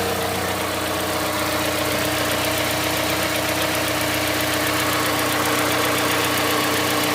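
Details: Mazda CX-5 Skyactiv 2.5 cold start: a fairly regular tapping of about four a second over a steady cold idle. It begins about 50 seconds after starting and stops once warm, then the engine runs quietly. Cause unknown.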